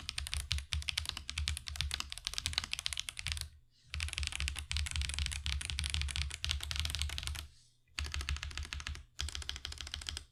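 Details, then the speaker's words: Marvo KG972W gasket-mount mechanical keyboard with tactile switches: typing bursts with bright sharp clacks and a thin, high-pitched tick on each keypress, attributed to the switches. "Overall, it does sound a bit high-pitched and ticking. I'm pretty sure that's because of the switches that are causing the ticking that you hear that makes that really high-pitched sound,"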